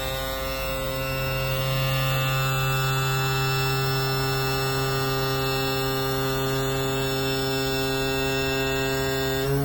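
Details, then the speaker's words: Yamaha F40 outboard power trim motor, previously slow and loud, after trim cap tightened to 90 Nm spec and repair: steady, even electric hum at constant pitch, no labouring or grinding; trim now fixed and running normally. "Excellent. Seems that after a lot of deliberation I managed to fix it."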